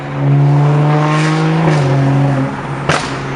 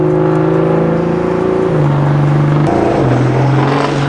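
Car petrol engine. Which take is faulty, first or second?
second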